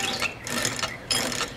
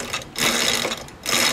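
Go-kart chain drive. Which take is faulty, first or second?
first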